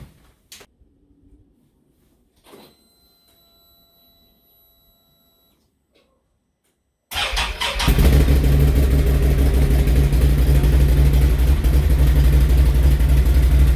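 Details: Brand-new 2021 Can-Am Outlander 850 XMR that wouldn't start because the tank was empty, after adding a couple gallons of fuel in the snow: quiet, then the engine catches at once and settles into a steady, even low drone; healthy.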